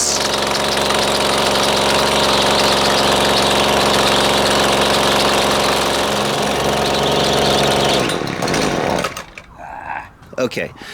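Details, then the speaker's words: Husqvarna two-stroke string trimmer: raspy high-pitched buzz holds about eight seconds then sags and dies, only running on choke. "so it was only running on choke right there"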